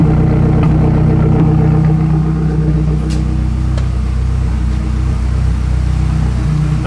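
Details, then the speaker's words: 2008 Mazdaspeed 3 fully built: block bored .020 over, CP pistons, Pauter rods, new crank, Precision 5857 ball bearing turbo, Corksport turbo-back exhaust, Tial wastegate; first start-up, steady even low idle, smooth regular pulse, no knocks or ticks; sounds good, normal idle. "Yeah, well, look at that. It idles. Sounds good. It really does."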